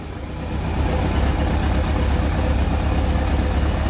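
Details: Kawasaki ZX-12R first start after several years stationary, with rebuilt starter motor, cleaned injectors, fuel system cleaned, fresh oil and coolant: steady, even low burble after the first second, no knocks or misses; healthy idle.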